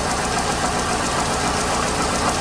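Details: 2008 Hyundai Accent 2.0 idling unevenly with an irregular stumble in the exhaust beat. The misfire is traced with a spark tester to weak spark from a failed cylinder 3 ignition coil, plus worn, fouled plugs; coil and plug replacement is recommended.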